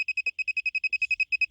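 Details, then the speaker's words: Toyota Sienna, $20 OBD key programming box plugged in with key on to duplicate a master key: rapid, even high-pitched beeping during the programming attempt; the security light never turned solid after nearly 10 minutes, so programming failed. "So you hear a lot of beeping. Okay, you wait until it becomes solid red."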